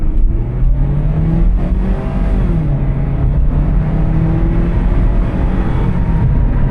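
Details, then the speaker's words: 2009 Toyota Corolla XRS automatic, 148,000 miles, with a noisy wheel bearing noted; heavy-throttle test drive, pitch climbs and drops cleanly at each upshift, no flare or slip. Shift points good, normal automatic shifts. "Alright, heavy throttle pressure, shift points all seem good."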